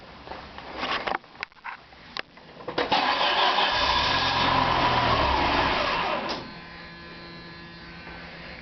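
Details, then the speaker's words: Car cranks, catches briefly with a short roar, then dies right away after fuel pump reassembly and a fixed line leak; owner suspects the fuel pressure regulator, not confirmed. "up for like a brief second there and then it stopped so i don't know uh what the what the issue is so just died right away"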